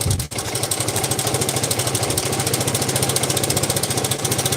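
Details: Yamaha Vega ZR single-cylinder at idle before teardown; fast, even metallic ticking, judged a far-too-slack cam chain with a worn tensioner, plus clunking at the clutch housing; it stalled and smoked, so the engine likely needs splitting.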